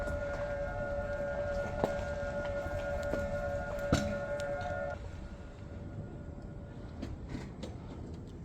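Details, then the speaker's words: Hybrid car driving in battery (EV) mode with the engine off: a steady synthetic pedestrian-warning tone cluster hums with no engine beneath it, then cuts out; normal battery-mode warning sound. "Dan ini kalau kita lagi jalan ya teman-teman ya. Misalnya kita jalan dalam mode baterai, nanti dia akan ada suara kayak gini nih."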